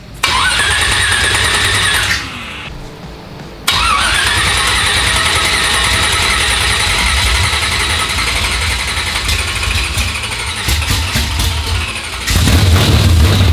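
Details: First start of 355 small-block Chevy in El Camino project with new spark plugs: starter cranks briefly, engine catches and settles into a steady, slightly lumpy idle with a fast even exhaust beat; runs fine.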